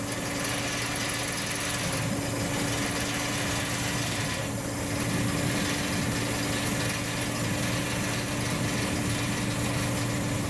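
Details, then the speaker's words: Forklift engine running normally after a cylinder repair: a steady, even drone with a constant hum and no knocks or surging, working just as it's supposed to. "there we are just like it's supposed to work i'm liking it"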